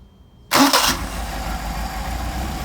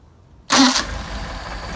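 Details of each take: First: Engine with freshly adjusted Solex carburetors, warm, hot start: it catches quickly and settles into a steady idle that creeps upward, an RPM jump blamed on the throttle linkage not yet being secured. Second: Engine on a test stand with freshly adjusted Solex carburetors, fully warmed up, hot start: a quick starter burst and it catches at once, settling straight into a steady, smooth idle; clean hot start.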